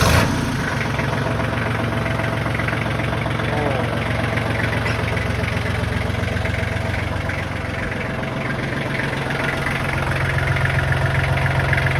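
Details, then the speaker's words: Kubota tractor diesel just started next day after tightening loose oil pan drain plug bolts to fix oil leak; fired right up, oil pressure light good; steady even low chug, no knocks or misses — normal idle. "Fired right up. Oil pressure light, good."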